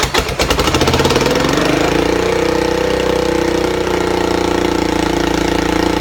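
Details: Buell Blast single that won't start without the auto choke, started with a spritz of starter fluid through a small drilled hole: brief rough catch, then a steady, even beat with no misses; runs well.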